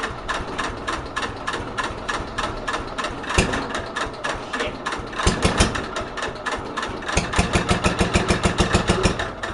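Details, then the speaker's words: 1964 Cub Cadet 70 tractor with new engine, cold start around 10 degrees, battery on jumper charger: slow, labouring uneven starter turns about three a second, no firing; owner suspects weak battery. "the battery didn't sound good"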